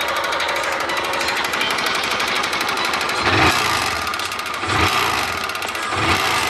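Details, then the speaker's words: Honda Titan 150 engine: harsh, rattly running with a fast, dense tick and a few heavier knocks. Suspected connecting rod with play. "Tá só assim a bielinha, velho. Só um estraladeirinho."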